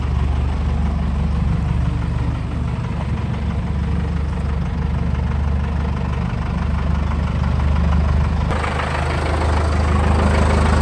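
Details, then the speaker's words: 1984 Chevy K5 Blazer (ex-CUCV) with Cummins 4BT, first start just after compound turbo kit install: steady low diesel clatter at idle, then revs rise and turbos whoosh; healthy normal idle. "All right, we just finished up the install. We're going to go ahead and fire it up."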